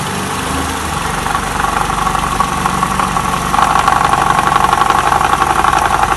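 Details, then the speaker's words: 2012 Toyota Camry 50, 2.5 engine, about 150,000 km, warmed to operating temperature, idling in Drive on the brake: buzzing rattly mid-pitch drone swelling louder, noise from worn balance shafts. "такой звук издают балансировочные валы поэтому если вы у себя услышите такой звук вы его узнаете"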